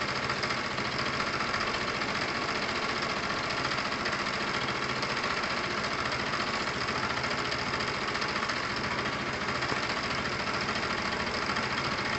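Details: Kawasaki motorcycle just fitted with a replacement carburettor, warming up before a test run: fast, busy idle ticking over evenly with no stumbling or hunting; engine running cleanly at normal idle.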